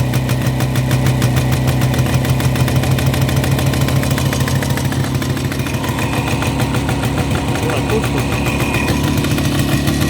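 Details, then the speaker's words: Jawa 360 two-stroke twin on a rolling frame after teardown, about fifth start, carburetor and filters refitted, new plugs, 6 V battery: steady fast idle with a slightly uneven beat, nothing coming from the left muffler; one cylinder suspected misfiring. "Eelnevast käivitusest vasaksummutist nagu midagi ei tulnud."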